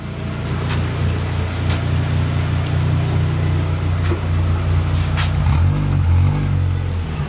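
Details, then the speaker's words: Mk3 car, previously dying out when put in gear and clutch let out; now steady even idle holding in gear without sagging or hunting; runs smoothly. "That sounds way better, doesn't it? I don't hear it dying out. Better? Yeah, I don't hear it dying out at all."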